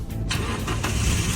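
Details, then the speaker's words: Car that would not start, after reinstalling the removed part, brake applied: brief crank, then catches straight away into a firm, steady low rumble; starts successfully with strong power. "look started successfully the power is also very strong how about it have you learned it"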